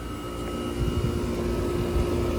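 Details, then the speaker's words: Outdoor AC unit just restarted after repairing wiring suspected chewed by rodents; even fan whoosh, low compressor hum and faint steady tone, running normally. "so let's go see what it sounds like yes sir she's running"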